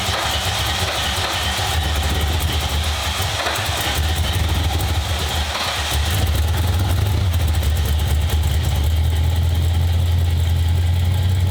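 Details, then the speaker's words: 1995 Ford Mustang GT, 302 V8 after a carburetor, manifold and fuel pump swap: a loud, lumpy, stumbling idle at about three pulses a second. Fuel pressure above the 4–7 PSI spec is flooding the carb; a return line has been ordered. "as soon as that pressure hits that point where it hits the carburetor and overloads it and those things are terrible yeah supposed to be 4 to 7 PSI according to that thing it's clearly too much"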